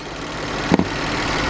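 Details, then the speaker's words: BMW N63 V8 idling evenly with no misfire after intake valve carbon cleaning; the cylinder 7 misfire came from low compression leaking past the intake valves, and the coil and injector were fine. "engine is running fine and uh you can hear there is no misfire anymore"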